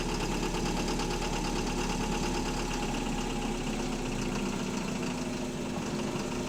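Diesel idles with a heavy, uneven knock riding over the low rumble, about two a second; that's a rod knocking in the bottom end.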